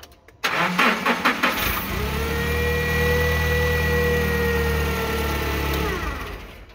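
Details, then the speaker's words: Nissan 1F1 15LV forklift with P0335/E27 crankshaft position sensor circuit code, extended and intermittent no-start history, cam and crank sensors already replaced: a few quick cranks, catches within about a second, settles to a steady idle; normal quick start. "relatively relatively quick couple cranks"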